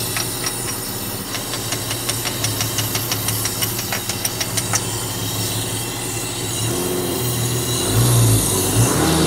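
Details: Barn-find 1980s BMW E12/8 M535i Lightweight six-cylinder, untouched 30 years, first start: a lumpy idle with a ticking stumble about three times a second smooths out once all six cylinders fire. It misfires at first, then idles nicely.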